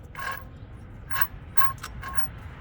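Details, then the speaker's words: 2005 Dodge 3500, engine off, belt removed and noise persisted: turbo shaft spun by hand gives dry scraping whirs with a faint ring each spin. The turbocharger has failed and needs replacing. "I don't know if you guys can hear that, but I'm spinning it. And it ain't supposed to do that. So, I need a turbo."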